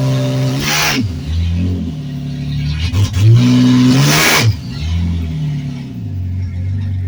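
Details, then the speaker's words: Turbocharged Ford 300 inline six in a Torino swap, tune still very rough: revs rise and fall in uneven swells with a wavering, unsteady note; runs rough, tuned only up to converter lockup and onset of boost. "but it goes in gear and it sounds like it's not gonna have a problem making boost obviously I'm not going to try to box this thing up because the tune is still real rough"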